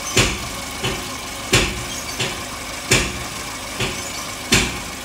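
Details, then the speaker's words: Toyota Avanza idle hunting, swelling and sagging about every three-quarters of a second with a sharp surge on each rise; parts already swapped without fix; mechanic suspects compression leak from earlier engine work, unconfirmed. "ini kita ada free check yang avanzanya itu pm-nya ngayun-ayun atau naik turun naik turun"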